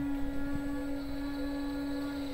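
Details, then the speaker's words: DIY CNC machine with servos energized while tracing servo cables: steady, even hum from a powered servo with no grinding or chatter, alongside a little VFD buzz and slight moaning. Normal energized servo hum. "you can hear a little buzz sound that's the vfd in there somewhere there's some moaning I think that's probably this Servo up here"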